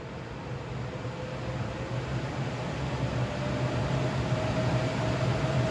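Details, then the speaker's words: New Jet AFS-1000C shop air filtration unit cranked to fan stage 6 (1000 CFM, top of 450–1000 CFM range): even airy rush with faint steady hum building as the fan spools up, no rattle or rub; running healthy. "It goes from 450 on stage 1 up to 1000 CFM on stage 6. So let's see how loud this thing gets here."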